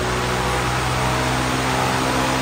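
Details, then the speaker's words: Restored Aloha Breeze desk fan after repair and cleaning, likely on speed one: steady airy whoosh over faint even motor hum, no rattle, scrape or wobble; normal running. "Vamos ouvir liga ali daí vamos ouvir se ele faz o barulho funcionou olha essa velocidade Pedro olha"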